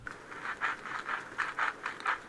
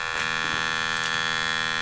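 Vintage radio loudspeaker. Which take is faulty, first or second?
first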